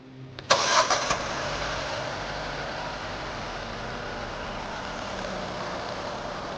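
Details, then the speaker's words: Domestic engine after repair of light ticking from exhaust camshaft side, worn cam cap replaced with OEM part and timing reset: quick crank, clean start, even idle with only light injector ticking, no other noise. "音相当清脆，只有喷油嘴啪啪啪的声音，没有其他异响。"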